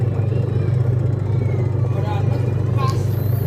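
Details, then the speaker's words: Polytron twin-tub washing machine after repairing a harsh noise from inside the wash motor and fitting a new transmission, tested empty: steady low hum with even rhythm, no rubbing or scraping; rotation smooth and fast. "Ternyata rotasinya bagus sekali, teman-teman. Lancar dan cepat, kawan-kawan."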